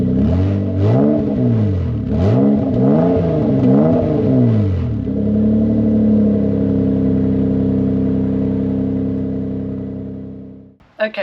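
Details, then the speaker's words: MK4 Toyota Supra 2JZ-GE after its split exhaust manifold was welded and refitted: several quick rev blips, then it settles and winds down smoothly with no puffing or ticking, unlike the earlier blowing manifold. Revving is normal and healthy. "well that definitely sounds better than what he did at the start of the video"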